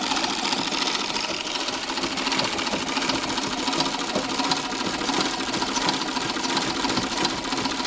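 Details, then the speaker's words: Treadle sewing machine after repacking Pitman rod upper ball bearings with Vaseline to cure clunking: soft, even whirring with no metal-on-metal clatter; much quieter, bearings running smooth. "much less noise overall repacking the ball bearings on the top of the Pitman rod"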